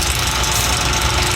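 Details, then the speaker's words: Rebuilt Kelly Duplex 3-ton horizontal paddle mixer at startup: motor fires right up without hesitation and hums along with steady chain and gear chatter from the drive sprocket and bowl gear, no clunks or grinding; running normally. "You can see it fires right up. Hums right along, has a lot of power on startup. You heard the motor, there was no hesitation."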